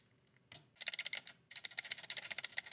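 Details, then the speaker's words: Mechanical keyboard build (gk64s PCB) stabilizers: clean, even keystroke clacks on the long keys with no rattle or tinny ping; quiet stabilizers. "oh that's a much better sound you can hear there there's still a couple just a little bit of a high frequency sound but it's not as bad i don't know if i'd call that a rattle"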